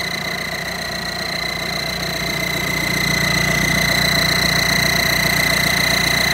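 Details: Audi A6 EA189 diesel idling: sharp high whistle over the clatter, rising slightly with revs, first suspected as a leaking EGR cooler seam; actually a snapped exhaust manifold stud left a gap between manifold and block, exhaust leak.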